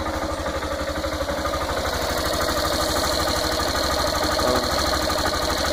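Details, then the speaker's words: Yamaha Fazer 150 single-cylinder motorcycle idling: a steady tapping of about three per second over the exhaust beat; engine knock persisting after a dealer mechanic worked on the cylinder head; cause unknown, mechanic suggested the bottom end. "mostra um barulho caneca no motor quem já tem muito maior e aí então ajuda de que pode ser"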